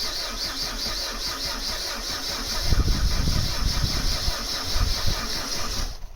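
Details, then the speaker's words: Mk3 Vauxhall Astra 1.6 LS saloon petrol, unmoved since 2009, cranked via screwdriver on ignition switch: starter turns engine at about three pulses a second but never catches; good spark confirmed, owner suspects fuel, air drawn into lines. "yeah yeah we've got a good spark so probably fuel it's probably got um drawn air through the fuel lines i would guess"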